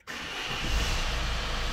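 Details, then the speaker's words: Citroën Berlingo 3 with PSA DV6 1.6 HDi diesel on a cold start after glow preheat: rough clac-clac rattle over a low rumble for the first moments, then gone, symptomatic of a failing camshaft timing chain kit. "Voilà, là on entend bien le bruit, c'est symptomatique. Vous voyez, là maintenant on l'a plus. On l'a eu un petit peu au début et maintenant on l'a plus."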